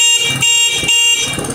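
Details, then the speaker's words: Motorcycle horn after fitting a battery, engine running: bright steady short blasts, tone firm, no wavering or cutting out, lights stable when revved; normal horn. "ya no está parpadeando las luces ni tampoco el claxon con el folio"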